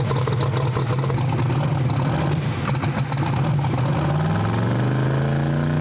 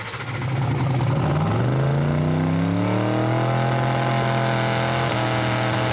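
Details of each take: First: So now it's so lean and good air, it won't come up on the 2-step. I had to take so much fuel out of it before trying to get it to come around. Now it's unhappy. Heard it sneeze there twice and whatnot. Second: Turbocharged race engine on two-step after switching back to a normal-weather tune with more fuel, previously lean and sneezing in heat: revs climb smoothly to a steady held note, no stumbles; normal boost build.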